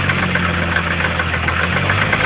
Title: CA18DET Engine Knock?